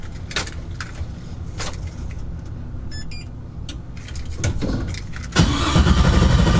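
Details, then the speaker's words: Quad-turbo Audi S4 with new lightweight Antigravity battery at 13 volts, fuel pump off for crank test: quick, even, strong cranking at about four beats a second, much faster than with the old battery. Normal starter cranking. "Oh my gosh. This thing spins the engine so fast. I think my old battery is like really old, or this thing just cranks the engine really fast."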